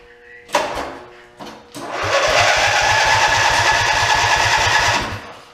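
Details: OMC Mustang 310 skid steer engine, just reassembled after carburetor needle work, cranks steadily at about two and a half pulls a second but never catches; no spark because the spliced kill-switch leads to the armatures were grounding them.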